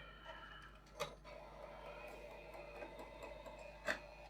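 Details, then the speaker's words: Sony PlayStation 5 bought as not reading discs, after disc drive repair and reassembly: quiet whir with two soft clunks about three seconds apart as the disc draws in and seats; loads normally. "alright sounds like it's struggling but maybe it just sounds like that anyway i don't know but it's been recognized"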